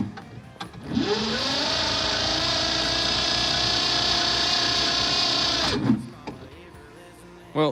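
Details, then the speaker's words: Farm Pro 2425 tractor at about 25°F, cold start with battery charger assisting; starter whirs evenly for about five seconds but engine never fires. Owner doubts the glow plugs work; cause suspected, not confirmed. Cranks but no start. "that didn't work so we got battery charger on here going to see if it'll give it another go give a little extra help"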